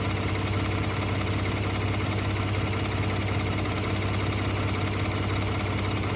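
Steady idle with a loose, uneven light rattle riding on the low drone, coming and going; an intermittent tick of unknown cause.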